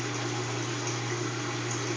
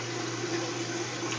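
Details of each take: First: Kenmore washing machine entering spin cycle: steady motor hum with water draining, but the drum does not spin; lifting and closing the lid makes it start spinning, needed twice per wash; motor runs but drum does not spin. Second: Kenmore top-load washer that hums and drains but won't spin until the lid is lifted and closed, needed twice per wash; once started it spins normally with an even low hum, water swishing, and no knocking or scraping.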